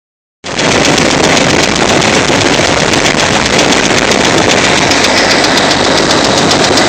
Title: Ticking noise